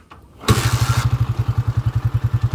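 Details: TMX155 after overhaul (rebore, new timing gear, valve and oil seals, sprocket, clutch, kick parts): kicks over and catches at once, then settles into an even, steady thump of about twelve beats a second, with slight vibration; a clean, healthy single.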